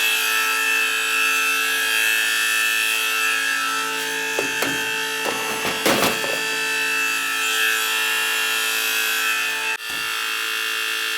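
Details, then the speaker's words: Old gas boiler making a humming/squealing noise heard throughout the house, with pressure in the boiler. A constant high-pitched squeal and steady ringing tone from worn circulator pump bearings; fix is draining and replacing the circulator. "It's the circulator. We got pressure in the boiler. I know that."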